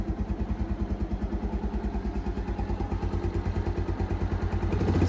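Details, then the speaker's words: Keeway 125cc motorcycle with Suzuki GN/GS single engine, running after battery replacement, choke used to start: even, steady thumping at about three beats a second, no knocks or stumbles; healthy normal idle. "pretty healthy no engine knocks no nothing so the the Assumption of the battery being the corporate was right we've got it running"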